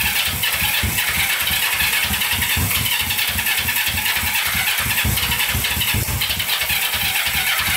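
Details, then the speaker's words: Barn-find Honda CB350 twin (1970 or 1974), first start after years stored, on choke: rapid, uneven low thumps under a hissy roar as it catches and fires raggedly; it runs, sounds fairly good, but won't idle and needs tuning. "fired right up sound pretty good we gotta get dialed in because it was not idling"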